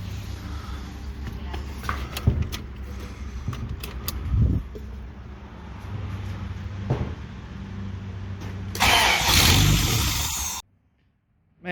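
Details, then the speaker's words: 1987 Toyota 4Runner 22RE after rebuild, ignition timing rechecked with cylinder one set: several cranking bursts, then the engine catches and runs roughly but keeps going, then shut off right away. "it's amazing how things do when you got everything right so uh I just cut it right off I wanted to hear it"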